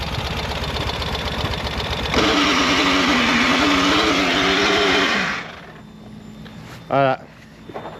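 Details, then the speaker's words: Ural sidecar motorcycle: loud wavering clutch squeal about three seconds when engaging first gear or at stops, not during quick shifts; owner suspects broken or stuck clutch plates, possibly damaged splined hub, unconfirmed. "当我快速换挡时，离合器不会发出太大的尖叫声。只有当我挂一挡或停车时，它才会尖叫。"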